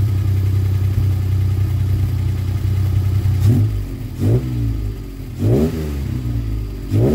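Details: Alpine V6 on new tyres with a freshly fitted exhaust silencer, before a test drive. Deep, even idle burble, then four clean throttle blips rising and falling smoothly; normal revving, just loud exhaust.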